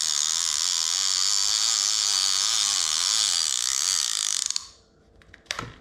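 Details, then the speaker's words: Daiwa Sealine Slosh X40 reel after service, clicker fitted under the star drag with two washers: fast, crisp, even ratchet clicking that stops cleanly; clicker works properly. "that's gonna be that's the noise we want there's nothing like that noise when it goes off"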